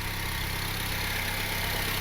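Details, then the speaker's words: Honda Civic R18 with a new budget eBay turbo kit, warming up after first start. A steady, even idle with a smooth low hum and slightly louder exhaust; RPM steady, with no knocks, misses or whistles. "I can hear that being a little bit louder, but RPMs are smooth. Everything is steady."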